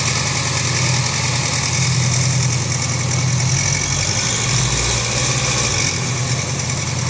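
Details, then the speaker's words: Honda CB500X twin at idle: busy rattly tick from top of engine over exhaust; loose breather hose and loose bolt on top of cylinder head letting engine mechanical noise out through breather hole. "por que que ela faz esse barulho aí parece como estivesse batendo a parte de cima e fazendo barulho da parte de cima é justamente porque todo o som do funcionamento do motor ele tá saindo pelo buraco do respiro aí"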